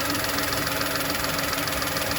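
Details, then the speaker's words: VW Polo with P0068 check engine light, idling: steady airy hiss over smooth idle, engine tone changes when the hand covers the crankcase ventilation pipe to the intake; vacuum leak letting unmetered air in, suspected cause of the fault code. "as I'm doing that you can hear the engine tone change and I don't know can you hear that hissing sound take it in on one there from that pipe there that pipe goes from here in to the intake"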